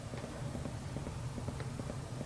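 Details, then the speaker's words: Fosi Audio TP02 subwoofer amplifier that stopped working after storage: light regular clicking about six or seven times a second heard through the woofer, adapter light flickering and sparking on plug-in; cause unknown. "you can actually hear the clicking sound you can see the light flickering and you can hear it in the woofer right here if you listen"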